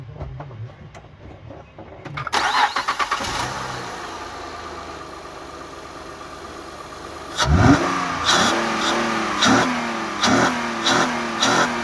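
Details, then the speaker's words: 2006 Honda Ridgeline after installing a new throttle body sensor, air cleaner removed; cranks and catches quickly, settles to steady idle, quick throttle blips rise and fall cleanly, normal start and rev. "Okay, that sounded very good."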